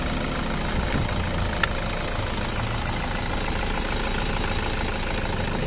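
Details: 2013 Toyota Innova 2KD diesel, manual, no fault codes: uneven lumpy idle with choking, stumbling beat under steady clatter, low power; mechanic suspects a dirty sensor, cause not confirmed.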